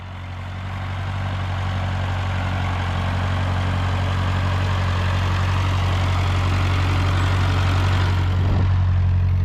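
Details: Ford 8N tractor (a cheap Chinese replacement carb stuttered going uphill; an old Marvel-Schebler ran fine), engine hot: deep, even thrum holding steady with no stumble or surge; runs cleanly, normal running.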